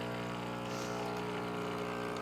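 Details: Breville Infuser espresso machine, new, first flush before use: steady, even buzzing pump hum at one pitch with no stutter while water runs about 30 seconds from the hot water dispenser; the pump is running normally.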